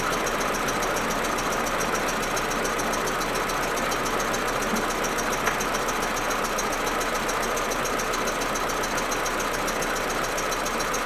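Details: Audi A4 1.8T rough uneven idle with stumbling misfire only when cold, plus steady hiss and fast ticking; smooth once warm and on warm restart. Plugs, coils, ignition amplifier and broken vacuum hoses already replaced; owner suspects injectors or carbon buildup.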